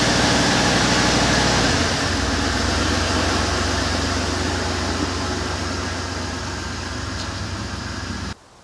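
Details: Chevy work truck that lost power, held to about a tenth throttle and wouldn't start; fuel pump was not the fault. Runs with an uneven surging throb and rumble, sagging as fuel runs out; a slipped in-tank fuel line was starving it.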